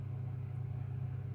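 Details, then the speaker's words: AEG 49106IU-MN oven while testing a replaced top grill element, warming up: the fan kicks in with a steady, even low hum with no ticks, scrapes or wobble, running normally. "there you go the Fan's just kicking in now obviously has to warm up"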